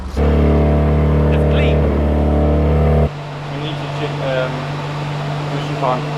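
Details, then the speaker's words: AE86 drift car rebuilt with new CP pistons and higher compression, first heat cycle to bed in rings: steady even engine note, no knocks, no smoke; a noisy lifter at start settled once oil pressure came up. "yeah all good um it's not smoking"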